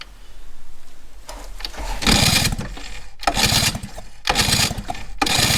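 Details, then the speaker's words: 1955 DKW Hobby scooter started after carb rebuild and spark and timing work; several harsh, rapid chattering cranking bursts with a horrible noise from the starter motor, though it catches; abnormal noise when cranking, cause unconfirmed. "I don't know what that horrible noise is. It's something to do with the starter motor. But as long as it's catching, that's fine."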